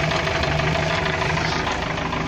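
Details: UAZ with a 417 engine after camshaft gear, camshaft and bushing replacement: a steady, regular knock taps through the idle in time with engine speed; source unknown, it still drives, and the owner plans to rebuild another engine.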